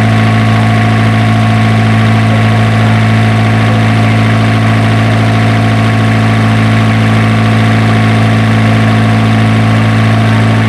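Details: Isuzu diesel generator engine, previously hard-starting, now running after troubleshooting: a constant, smooth low drone with no misses, knocks or hunting; a healthy, steady idle.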